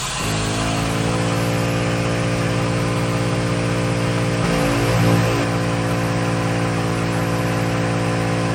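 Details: ARB onboard 12V compressor in a Ford Transit van, engine running: steady even droning hum with mid-pitched whir over idle, no surging, inflating a tire from 25 psi to 49 in about 1 minute 15 seconds; normal operation.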